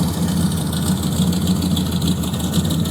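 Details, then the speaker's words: Rusty, butchered pro-street 1970 Dodge Charger/Daytona wing car V8, hood up: low, heavy idle with a steady tapping on each crank turn, a bottom-end knock; a header rattle was heard at first. "hey pop the hood you really can't hear it knock as bad as it knocks from out here it's low it's a rock you can start it one more time"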